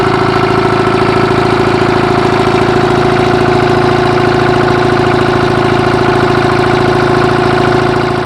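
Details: Oliver Super 77 tractor with GM 2-71 two-stroke diesel driving along; loud, steady rapid bark with even firing pulses and constant blower whine; normal running.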